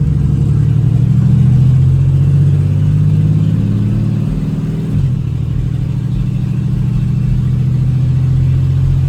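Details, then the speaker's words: 2008 Chevy Express cargo van, being driven: loud, deep, open and raspy exhaust drone rising and falling with throttle through the gears; catalytic converters were stolen. "So apparently it's got a racing exhaust. The cats were stolen off of it, and it's a little loud, which I think that's why they're asking so little for it."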